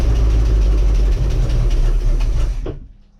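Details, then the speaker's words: Heavy low thump with a rough knocking beat, about four a second, then cutting out, from a Bayliner boat with a Mercruiser Alpha One Gen 1 outdrive; large bangs vibrate the boat, source unknown, possibly loose metal inside. "Alright, you don't need to hear it anymore, that was two very large bangs. And when it bangs like that, it's vibrating the boat."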